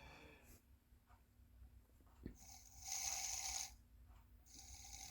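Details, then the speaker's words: Small electric motor at its slowest speed, buzzing in uneven surges and running jerky and twitching instead of smooth, stopping if pushed slower. "And it's kind of like jumpy a little bit, like twitching. It slowed down for a second, then it goes again."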